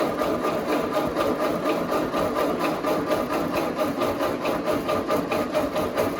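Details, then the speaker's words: Ford 8N tractor after oil change with Napa 30 weight and new filter, cranked with ignition off in neutral to build oil pressure: rhythmic starter chug about twice a second without firing; normal priming crank. "Make sure that thing's filled up. So make sure you have pressure throughout the system so you don't run it dry."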